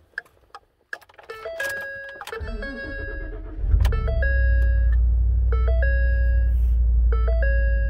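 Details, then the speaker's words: 2013 Ford F-150 XLT, third BCM after water leak through windshield: engine start with bright two-tone chimes about four per second, false all-four door-ajar and low brake fluid warnings, hazards stuck on. Failed body control module again. "driver's door jar passenger door jar left rear door jar right rear door jar low brake fluid"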